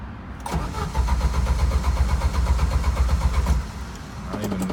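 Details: Jeep YJ, previously dying while driving in second gear with a strong gas smell and rich exhaust: steady cranking at about four beats a second for three seconds, then drops away without catching; cranks, no start.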